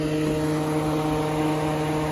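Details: 2003-2004 Chevy truck/Suburban after electric fan conversion, relays switched on with scan tool: steady rushing whoosh with an even hum that doesn't waver; electric radiator fans running normally, wiring intact.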